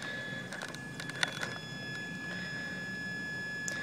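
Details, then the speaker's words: Titan 12-turn 550 brushed motor in two-wheel-drive RC monster truck stress-tested under heavy weight load: thin steady high whine at one pitch with faint clicks, motor labouring, smoking and overheating, motor judged done. "you can hear the motor struggling a little bit I don't know if you can that thing is cooking that motor is definitely done"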